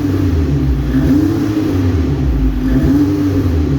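Engine revving up and down with a stumbling, uneven beat under the rising tone; a misfire from a bad ignition coil.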